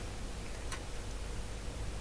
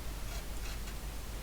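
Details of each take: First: Mimi 801 vintage computer with drive ribbon cable connected: after power-up, a steady whine and faint hum as the drive motors spin up normally, then stop after a few seconds as expected. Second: Mimi 801 disk drive head stepper motor: faint, uneven ticking and scraping over low motor hum as the head steps; carriage sticky, binding on dirty guide rails needing cleaning.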